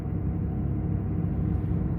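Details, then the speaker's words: 2018 Ford F-350 6.7 Powerstroke diesel, about 210,000 miles, cold start at high idle: a steady deep roar from the radiator fan running, reason unknown; owner says it shuts off once warm and has listed it for a shop check. "fan is on don't know why this truck isn't as bad as mile with the rad fan but that's one of the things i put on the list for the shop is to check that out so hopefully that'll be fixed but once it warms up a little bit it'll kick off and not be so obnoxious"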